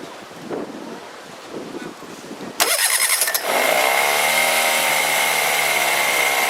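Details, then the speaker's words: 1998 Honda BF15A outboard, previously stalling at idle, after carburettor removal and cleaning and fuel priming: quiet before a quick catch, then a smooth, steady buzzing idle; starts easily and idles normally. "okay so it started up quite easily let's hope for a good sign we'll have to give an idle once it's warmed up and when the idea needs any distance thank you we're now idling these will be smooth enough"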